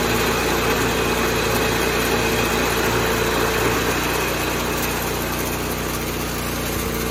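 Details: 1986 John Deere 216 single-cylinder tractor after carb cleaning and PTO adjustment, leak fixed, driving the driveway: fast, steady beat of about 220 pulses a minute, even, no misfires. Normal running.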